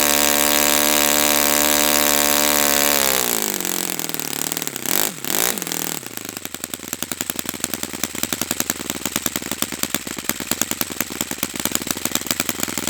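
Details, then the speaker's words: Brand-new Saito FA-100T twin model engine on test stand during break-in run: steady, clean high-pitched drone with no misses, then winds down and stops; running perfectly, normal healthy twin. "I'm going to stop the run there just because it's running perfectly."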